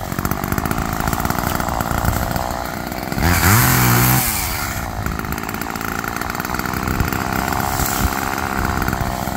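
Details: Roadside-found Homelite two-stroke chainsaw after carburetor rework, cold-started after sitting, cutting wood in wind: revs up and bogs steadily into the cut, about four pulses a second, even under load. Chain oiled; owner suspects slightly rich, bogging in larger logs then recovering.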